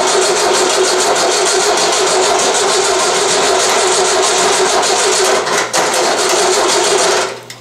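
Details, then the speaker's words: VW 1600 dual-port engine on a starting stand during a cold start, with the carburettor bowl not yet filled; long, even cranking with only faint, uneven puffs that never catch; cranking with occasional firing, not starting. "it a little spark there a little snort snort"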